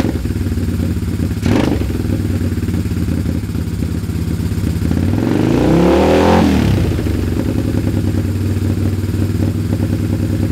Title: poor idle, misfire left cyl.